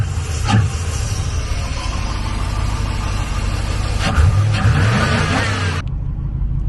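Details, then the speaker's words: Chevy C1500 with an HT383e V8 after fitting an IAG V3 air/oil separator: low, steady idle with an even soft beat and no ticks or knocks. Quieter than the previous setup; runs healthy. "But as you can hear it, it's very quiet. Very quiet. It did not sound like that with the other setup."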